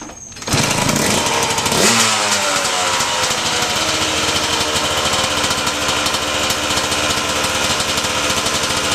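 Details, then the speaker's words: Suzuki RM125 two-stroke dirt bike after new 21-inch tire: fires on the kick, blips up sharply, then settles into crisp, even, high-pitched crackle, no misses or rattles; runs healthy. "Alright, let's see if this thing fires up. Usually starts on the first or second kick."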